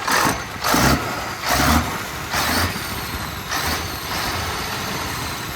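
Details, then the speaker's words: 1965 Mack B61 turbo Thermodyne diesel after the idle was bumped up, running a couple of minutes with a steady, even idle under gusty background noise; normal idle with no sign of fuel shortage. "all right so it's been sitting here running for a couple minutes pretty"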